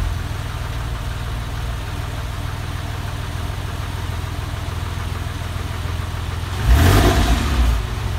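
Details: Porsche 996 engine at idle: low steady idle with faint, uneven tapping about three or four a second and a brief blip; source unclear, engine noise at idle.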